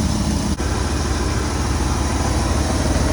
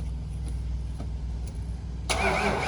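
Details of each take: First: 1996 Ford F-250 with 460 big-block V8, rat-damaged, timing set by ear: low, steady V8 burble at idle with an even beat and no misses; idles fine. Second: 1996 Ford F-250 460 big block, rat-damaged: starter turns engine over evenly but it never catches, only a rough burst at the end; cranks, no start, suspected not getting fuel or spark, unconfirmed.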